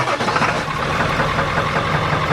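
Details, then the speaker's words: Older Ford Powerstroke diesel just after a Hydra tuner with Jelibuilt tunes replaced a previous tuner box that caused rough shifting. It fires right up, goes into high idle well and settles to a steady, even clatter with no knocks or misses. Normal high idle. "we fire right up to number 1 for high idle, and high idle works. Okay, so everything started up, went into high idle really well."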